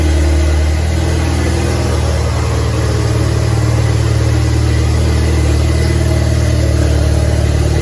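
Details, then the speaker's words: DF Goblin project car, first start with no exhaust fitted: a loud, deep, even engine drone with a steady beat and no knocking or misses. Normal running, just unsilenced. "i didn't have the exhaust on it which was hilarious because i didn't realize how loud it was gonna be but anyways uh first start video i'll share that right now"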